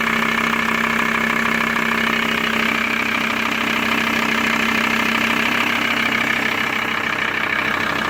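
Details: VW T4 with ACV diesel engine: steady diesel idle with a light, fairly regular tapping about two or three times a second over the clatter; abnormal engine noise at idle, source unclear.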